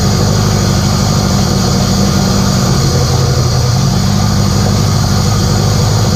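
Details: K24a2-swapped Acura Integra first start after injector issue fixed and reinstalled, open downpipe, radiator off: loud deep even rumble holding steady idle, no misses or knocks; normal idle.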